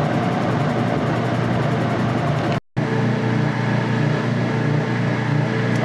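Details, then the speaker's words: Older Whirlpool direct-drive washing machine draining: steady low hum holding an even pitch with no grinding or rattle; the drain pump runs normally. "the sound the drain pump on this one B yeah the older drain pumps are awesome"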